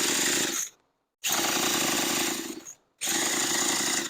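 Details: Leaf blower after new carburetor, fuel hoses, fuel filter, primer bulb and spark plug, spun over with a starter tool: three bursts of fast whirring, never fires; owner first suspects spark or plug gap, compression test then shows low compression from worn rings and piston.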